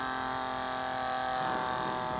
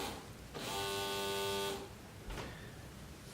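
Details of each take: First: DIY cheap smoke machine made from a vape pen atomizer and an air pump, properly soldered and powered: a steady, deep, even hum with no wavering or rattle; normal running. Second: Homemade cheap smoke machine using a vape pen atomizer: only the small air pump buzzes in short stretches and the atomizer gets no power, so there is no smoke. A lead has come undone, probably the positive lead inside.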